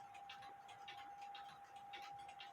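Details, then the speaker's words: Quarter-hour cuckoo clock movement with weather man and woman, before ultrasonic cleaning: even, regular ticks about twice a second over a faint steady hum; clock functioning properly. "the clock is functioning properly."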